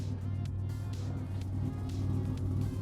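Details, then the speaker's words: 1987 Buick Grand National, about 69,000 miles, intake gaskets replaced, original AC Delco mass airflow sensor, heard at the exhaust just after start-up: steady, even low rumble at idle with no misses or ticks, background music; healthy idle. "All right, so we're looking here in the exhaust right now. Nice and healthy."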